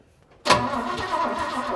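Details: 1968 Chevy C20 pickup, 307 V8, parked 30+ years in a barn, new plugs and fresh fuel, carb float sticking: silence then sudden catch into rough, uneven raspy run once mechanical fuel pump began working; runs poorly after storage.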